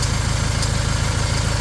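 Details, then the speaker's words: Fiat Ducato 180 Multijet diesel at steady idle: faint light tick over the rumble, from somewhere toward the back of the engine. Engine otherwise runs well; auxiliary belt, tensioner and alternator replaced, turbo run 20,000 km; cause of ticking not found. "Mikä on tämä ääni? Tuolla on naputus tuolla taustalla. Moottori kuulostaa käyvän hyvin."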